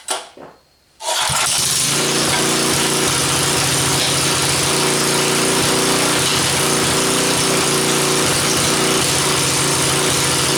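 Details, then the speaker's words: Rototiller engine fitted in a mini four-wheeler: catches and runs loud and choppy with irregular popping backfires; owner suspects a faulty gasket between carburetor and head. "yeah the car r doesn't work quite right and you hear it backfiring and all that stuff I think there's also a problem with the gask between the carburetor and the head but we got it running"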